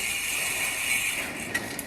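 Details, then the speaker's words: Ceiling fan opened and spun by hand: dry, gritty scraping hiss with a faint high squeal coming from the lower bearing, whose grease had dried out, causing the grinding noise. "यह देखिए यह रहा हमारा bearing और जैसा कि मैंने आपको वीडियो के शुरुआत में बताया था कि जो प्रॉब्लम है वो होती है बेरिंग अगर ड्राई हो जाए।"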